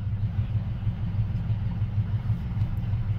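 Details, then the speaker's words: Carbureted engine at idle after a carb AFR-trim device corrected an overly rich 12:1 idle mixture: a deep, even rumble pulsing about three times per second, with no misses; a clean, smooth idle with a leaner air-fuel ratio. "and there we go we're idling with a much cleaner air fuel ratio and not being hard on the engine"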